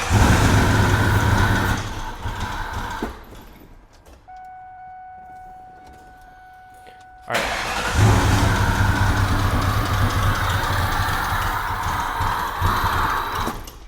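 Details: Mustang Mach 1 with boost gauges, revived after sitting under a tarp, started after fuel priming and a leaking pipe repair: it fires and runs strongly, dies briefly, then restarts and holds a steady even run; fuel supply now feeding properly, no leaks.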